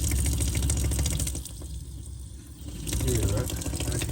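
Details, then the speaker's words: Caravan water pump during a service water test: pump buzzes, drops out, then surges back with rapid clicking while water doesn't flow freely. The pressure switch is cycling and being adjusted so the pump stops within 12 seconds. "you can see, the water's not flowing freely. And as you can hear, this is clicking. So we're just going to adjust it so it works correctly."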